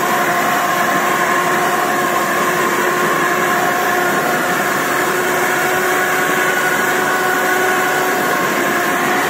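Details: Samurai rotary mower, 1.40 m cut, hydraulic cylinder removed, run in third speed with high rotor rpm: loud, steady drone with a few fixed humming tones; the chain drive hums frighteningly but runs normally.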